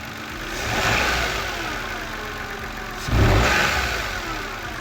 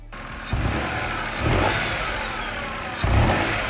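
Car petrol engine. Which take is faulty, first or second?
second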